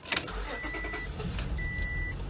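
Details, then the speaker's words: 2003 Honda Pilot that runs rich, after cleaning fouled plugs and resetting the ECU: it cranks and catches, then holds an uneven, lumpy idle that never smooths out and won't accelerate. Still running rough; cause unresolved. "I mean that's no still running like garbage you can't even accelerate it look it's like I did nothing like I did absolutely nothing"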